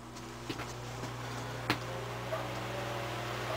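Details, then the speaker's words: Westinghouse fan after restoration: quiet, steady low motor hum with faint handling ticks; runs fine as a standalone fan, but the oscillation gear shaft is stiff so it can no longer oscillate. "well as a standalone fan it's fine because if you hear it it's nice and"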